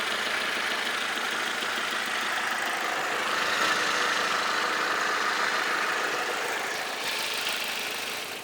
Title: 2.2 vectra c Sri 03 plate ticking noise